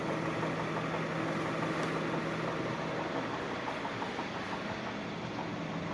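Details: Peugeot 508 1.6 THP at idle: steady idle carrying a faint, fairly regular tapping about three times a second over the engine hum; engine knock, cause unknown.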